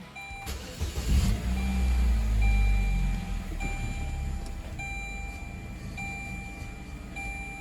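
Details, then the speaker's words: 2004 Saturn Ion 2.2L after replacing a cracked, snapped catalytic-converter flex pipe. It starts, revs briefly and settles to a steady idle with no hissing, exhaust flapping, or leak. "All right, it sounds good. I don't hear any weird hissing. I don't hear the exhaust flapping anymore."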